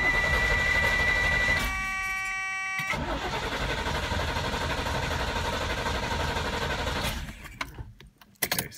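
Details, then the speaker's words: DeLorean fitted with a later-model 350 engine and new electric fuel pump, RPM relay swapped: steady even cranking around four turns a second that never catches; pump gets no power, though it works when jumpered. "pumps not getting power to it when I jumper it does work I don't know"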